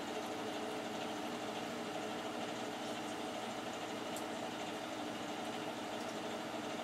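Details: Boiler only a few years old, side-vented, first start of heating season on a cool morning, draft blower on, heating quickly on medium. Quiet even hum, soft steady tone, no rattles or surging; normal boiler operation.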